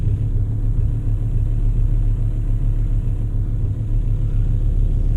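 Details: VW Touareg 7L 2.5 TDI R5 diesel idling right after glow plug replacement, started instantly with no smoke: deep, even low rumble, steady with no stumbles or misses; smooth normal idle.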